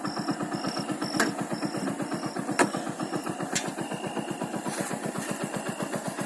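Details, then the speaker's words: Motorcycle single-cylinder engine after curing piston noise from a loose piston in the block: even, steady beat at about four pulses a second with no tapping or knock; normal running after repair. "देख रहे कोई साउंड नहीं है गाड़ी में, गाड़ी चल रही है।"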